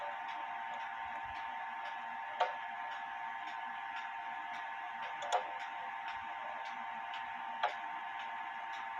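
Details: Clock out of beat: pendulum stop distances unequal (about an inch one side, 2¼ in the other); faint unevenly spaced ticks over soft background, crutch needs adjusting.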